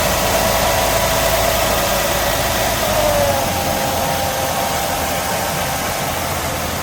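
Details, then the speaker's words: 2005 Mercedes-Benz W211 E260, about 70,000 km, after oil leak repair with engine removed and gearbox overhaul: smooth, even idle with fans and AC running, no ticking, knocking or misfire; engine sounds healthy. "halus banget kan denger ini sini nih ini kipas-kipas semua hidup ya AC dan lain-lainnya induk nih oke suara mesinnya halus banget"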